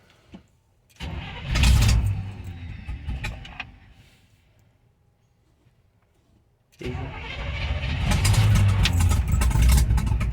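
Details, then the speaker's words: 1971 Chevy C10 with rebuilt carburetor, sat for a while, cold start: long cranking, pause, more cranking before catching into a rough run while choke is adjusted; hard cold start, then runs well. "Oh, playing with the choke a little bit. There we go, fired right up. It's been sitting for a little while."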